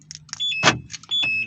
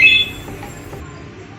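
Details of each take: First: Volkswagen Voyage door lock actuator after repair of its loud noise, panel refitted: two brief high whirring chirps with a solid thunk between, central locking cycling cleanly. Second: Volkswagen Voyage central locking door lock actuator motor, a universal aftermarket unit, sometimes fails to unlock; fires with a loud, harsh buzz lasting about half a second, cracked actuator housing.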